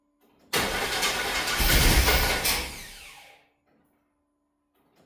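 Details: 1995 Chevy 1500, long-sitting, before ignition tune-up, first start attempt: about three seconds of starter churning that rises then winds down without the engine catching; cranks but no start.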